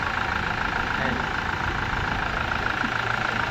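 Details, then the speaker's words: Toyota Fortuner diesel after fixing code P0093 (stalling while driving, shaking, knocking) with all four injectors replaced and tested: engine now idles evenly with steady low clatter, no shake, misfire or surging; smooth normal idle. "เครื่องนิ่งเลยนะวนี้เครื่องนิ่ง"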